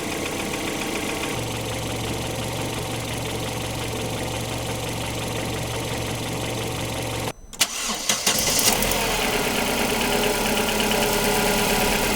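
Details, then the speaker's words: Opel Antara four-cylinder at warm-up idle in an RVS G4 additive test: light regular ticking, a couple of ticks per second, some injector noise and other side noise, no vibration; cause unclear. "Hyvin se sillä lailla käy, ettei se mitään kyllä täristä tai muuta, että ne on niinku neloskoneeksi niinku aika rauhallisesti naksuttelee menemään. Suuttimista vähän tulee ääntä ja jotain muutakin sivuääntä, mutta antaa se nyt lämmätä."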